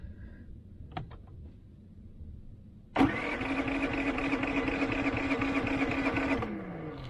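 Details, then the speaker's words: Predator generator at a desert boondocking spot, oil light on though oil is full, oil sensor unplugged and spark arrestor checked: engine cranks steadily about three seconds but never catches; disabling the oil sensor did not fix the no-start, oil change next. "so disabling the oil sensor did not work next we're going to try changing the oil on it and see if that works"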